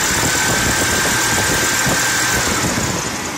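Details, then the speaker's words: 1998 Chevy Blazer 4.3L Vortec at idle: a steady, high, chirping squeal from a brand-new NAPA serpentine belt. The water pump, belt and tensioner were replaced two months earlier; a slipping belt is suspected, and it is to be swapped for a Goodyear Gatorback. "You can hear the squeaking. Brand new belt. Hope the camera's picking that"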